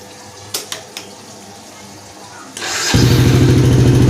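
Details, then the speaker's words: 2010 Yamaha Jupiter Z Robot after starter motor repair and refit: a few quiet clicks, brief starter whir, then engine catches into steady even idle; electric start working properly. "Alhamdulillah bisa guys, bisa ternyata."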